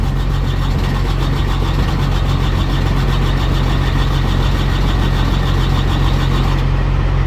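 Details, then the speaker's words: Carrier/Thermo King reefer unit diesel that ran out of fuel, refuelled and set to continuous mode: steady starter cranking about two and a half turns a second, never catching; no start, lost fuel prime, needs bleeding. "she did not start so now at this point i'm gonna put it to start stop and let's go up there and figure this trying to start one more time it's not gonna work"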